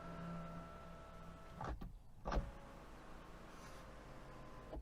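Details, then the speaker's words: Cheap Chinese SUV electric sunblind: thin steady motor whine with faint higher tones while travelling, clunks at the stops; noisy blind motor. "For instance, how noisy is this blind?"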